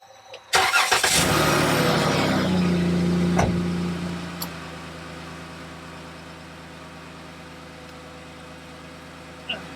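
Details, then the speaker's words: 2013 Dodge Grand Caravan after replacing exhaust flex pipe and centre silencer: engine cranks, catches and settles to smooth even idle with no puffing or ticking; exhaust sealed, no leaks. "there we go done let's start the vehicle and listen for any exhaust leaks"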